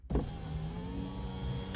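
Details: Project Ruby window, previously stopping partway and not going back up: motor whirs at even pitch as the glass travels all the way down, no binding or labouring; normal operation, though owner reckons some gumminess remains.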